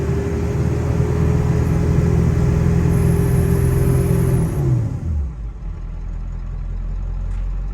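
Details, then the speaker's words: Ford F-250 7.3L Powerstroke diesel on test drive after new intake plenums: held at high revs with rough chuffing roar and no turbo whistle, then idle; exhaust leak, possibly an up-pipe clamp, no boost building. "So I can tell you now, I definitely have an exhaust leak. It sounds like shit."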